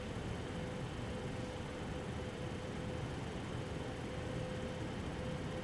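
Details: Eight-year-old MSI Radeon HD 7970 Twin Frozr III graphics card after fan replacement, under a Time Spy benchmark load: smooth, steady airy rush with a faint constant thin tone and no ticking or grinding; fans running cleanly.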